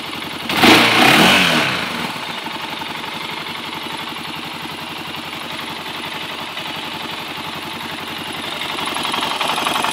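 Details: Honda 400EX single-cylinder ATV engine blips, then idles with a steady, fairly hard knock of about four beats a second; owner unsure of the cause; unidentified engine noise.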